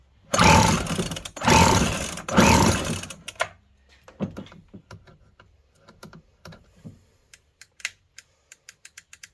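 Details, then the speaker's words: Free Poulan string trimmer with old fuel: three rope pulls, each a brief rasping whirr with no firing; cranks but won't start, fuel not drawn from tank, fuel filter suspected. "Well, she's not squirting fuel. Sounds like it's trying to shoot it in. It's not bringing it out of the tank."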